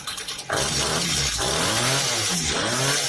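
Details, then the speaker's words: Chainsaw flooded with gasoline from incorrect starting, after clearing, restarted with slider in first position: short pull catches at once and settles into steady, even high-pitched run; normal warm start. "As we can see on this chainsaw there was an overflow of gasoline due to the fact that it was started incorrectly and as we see the chainsaw works perfectly."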